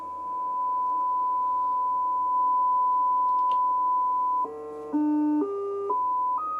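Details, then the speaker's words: Midland 3001 CB radio during alignment, test tones stepped through pitches against a 0 dBm reference at 1 kHz: louder at lower pitches, rolling off above about 1 kHz; the receiver's audio response is normal. "what that showing us is the receive puff on this radio it's actually most sensitive to signals below one kilohertz as you increase above one kilohertz it rolls up"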